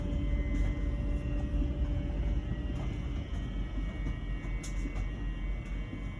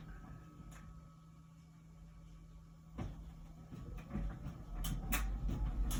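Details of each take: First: LG Wash Tower WKHC202HBA heat pump ventless dryer, about a year old and otherwise working fine: a new low, constant droning hum with a faint steady buzz during the cycle; abnormal buzzing, source unknown. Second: About one-year-old LG Wash Tower WKHC202HBA heat pump ventless dryer, before the new buzz begins: quiet steady hum with soft thumps of the load turning over, nothing harsh; normal tumbling.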